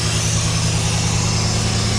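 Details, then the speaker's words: 1989 Firebird Formula with a tired 350 V8, newly installed headers and the air cleaner off, at freezing temperature: loud, steady, even idle with no misses or knocks while warming up. It was smoky at startup but cleared; condensation in the pipes. Normal idle. "Let's let it warm up. See what it sounds like. Well, there you have it. Some condensation in the pipes, but it's freezing out, but runs pretty good. Sounds pretty good."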